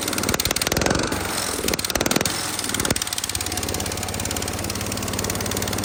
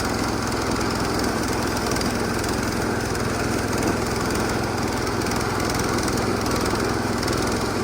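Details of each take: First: Massey Ferguson 16 garden tractor with single-cylinder engine, just fitted with a replacement aftermarket ignition, throttle set to full: uneven popping and surging, never reaching high revs; full throttle sounds like mid-throttle, owner suspects throttle cable adjustment. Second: Massey Ferguson 16 garden tractor with old Kohler single-cylinder engine, revived after sitting since about 2013 with a replacement aftermarket ignition (33-393); everything works: steady, even chug at constant speed, no misses, knocks or surging; healthy.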